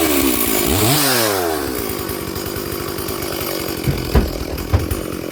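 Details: Stihl 440/460 hybrid chainsaw, freshly rebuilt, on its first tank of fuel with the rings still bedding in: it revs up, then burbles unevenly under load, skipping beats; the carburettor runs rich and four-strokes at full throttle, and leaning was left for later.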